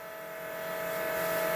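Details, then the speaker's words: Dodge Daytona stock car with a cobbled-together engine just reinstalled, fuel pump run by button with the rail reconnected to pressurize it: faint steady electric hum with a single clear tone building; pump sounds normal, no leaks found. "Okay, now we'll get on the fuel pump button again and see if we can pressurize the rail. Oh, yeah."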